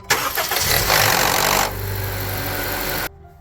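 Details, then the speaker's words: 2014 Honda CR-V petrol engine cold start: harsh metallic rattle for about a second, then idle; VTC actuator rattle not cured by a new timing chain tensioner or stretched spring, fixed by replacing the VTC spring. "This is the cold start rattling sound."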